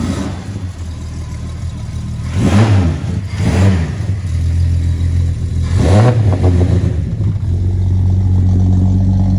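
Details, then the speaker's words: Ford XC Falcon wagon six, mechanically rebuilt with new hoses, belts, gaskets, starter and alternator, burns a little oil: catches, three sharp blips rising and falling cleanly, then steady idle: healthy start and revving. "Yeah, we'll start her up. We'll give her a kick in the guts and see how she goes."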